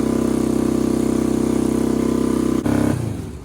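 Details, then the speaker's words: Half-scale NASCAR kart engine idling at 4,000 rpm, a fast even buzz far above normal idle then cutting out; cylinders 1 and 2 running cold; throttle cable held open by pedal stop bolt. "Alright, so as you guys saw, it is idling at 4,000 RPM. So that is obviously way too high."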